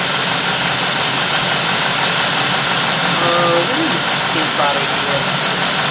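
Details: Warm 2000–2005 GM 4.6 V8 (Cadillac DeVille class), complaint rough running and surging idle. Loud hiss over uneven lumpy idle; lean running from a leaking intake gasket.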